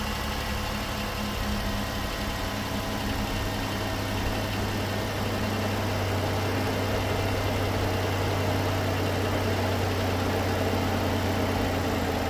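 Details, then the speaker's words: 2013 Ford Edge that was overheating, after replacing both failed radiator fans: steady low hum and strong even airflow over a smooth idle, both fans running and moving far more air than before; normal radiator fan operation. "All right, we got them both running now. And we are by far moving way more air than we were before. I have to go back and listen to the first part, but man, you can hear those things humming."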